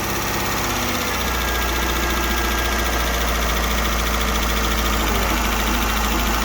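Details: 2009 Dodge Journey 3.5 L V6, after new spark plugs and one replaced misfiring coil, drops back from a light rev to a steady, even idle with no stumble or miss. Normal idle; some oil burning off a rear manifold.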